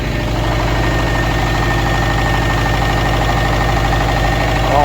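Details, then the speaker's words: 2013 Subaru STi with a freshly botched rebuild from another shop, idling: a regular deep knock about once a second runs through the idle and should not be there. Source unknown, and the engine needs a full rebuild. "how does it sound it ain't supposed to sound like that"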